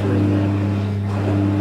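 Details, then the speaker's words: Electrolux EWF 16589 W washing machine, heavily used, about 45 minutes into 60 cotton cycle: steady droning hum with fixed tones during spin, unlike when new; bearings known worn, owner suspects the pump is failing too. "Sounds like it's spinning, or is it really? Sounds really weird. Oh. It didn't do that when I first, you know, started using this machine."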